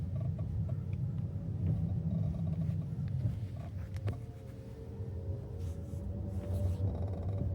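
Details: KIA EV3 GT-Line at about 27,000 km: creaking/cracking from the front, most likely the lower front, when decelerating at low speed, each time the accelerator is released. Persists even with regen set to level 0. Scattered sharp creaks over low road rumble.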